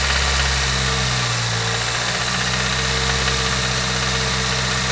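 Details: Toyota Corolla that started making this sound today: a steady idle with a light, fast tick, roughly four per second, over the engine hum. The owner suspects a lifter needing replacement or adjustment; this is not confirmed.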